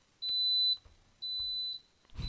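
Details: Coleman SaluSpa (Lay-Z-Spa) control unit with heater switched on: two long steady high beeps, each about half a second, short gap between; E02 flow error, pump receiving 120 volts but not running, so the pump is faulty.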